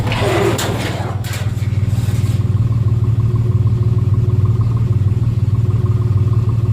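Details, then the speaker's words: Nissan Xterra 3.3 V6 after replacing faulty injectors with used ones, recorded at the tailpipe: brief rev, then steady, even low rumble with no puff-puff skips; previously shaking, now firing on all cylinders. "she sounds really good and go back here with the exhaust is you can hear it's a nice solid rumble you don't hear that puff puff puff sound"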